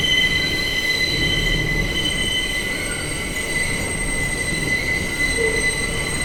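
Loud steady high-pitched screech held over the whole pass, with rumbling wheels and track underneath; wheel squeal, cause unknown.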